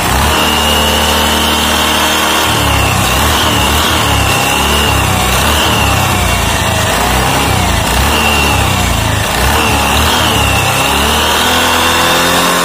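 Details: Automatic scooter after reusing old CVT rollers, roller housing reassembled and nut tightened: revs up and settles back smoothly, pitch rising and falling evenly, no slipping, rattle or grinding; drive sounds healthy.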